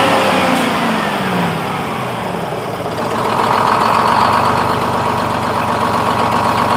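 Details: 1948 GMC Silversides Greyhound bus, Detroit 6-71 two-stroke diesel, first start after in-frame rebuild with fuel-primed head. Catches and settles into even steady idle, no misses or clatter; smoother than it has ever started.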